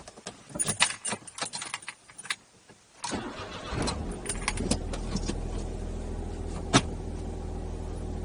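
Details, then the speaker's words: 12-year-old Smart Fortwo 451 Brabus after the clutch actuator was cleaned and regreased (clutch adjustment kept failing): engine fires and settles to a steady idle, then takes gear and pulls away cleanly with no clunk or grind. "Okay, goes into gear okay. Pulls away very cleanly."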